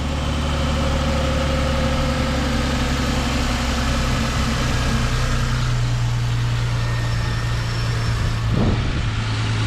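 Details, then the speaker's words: Engine idling smooth and even with a steady low rumble, no misses, knocks or rattles; now sounds normal, much better than before, when it ran choppy. A sticking starter is suspected of causing the earlier hesitant starting. "but it definitely sounds 100 times better than it did now actually sounds like it's utterly normal"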